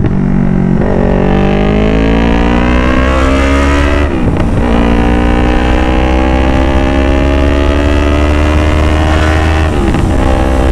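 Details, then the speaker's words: Yamaha R3 with a full-system exhaust, riding hard: a loud motorcycle pulls through the gears with crackling pops around each shift. There is no backfire at about 60, but it backfires at higher speed with the throttle wrung. A resonator was added to fix the backfire and noise. "Pero kapag medyo mabilis yung takbo natin Tapos kapag pipigain ko na po yung gas natin nbf siya ba"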